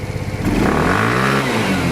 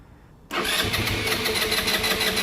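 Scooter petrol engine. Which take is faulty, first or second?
second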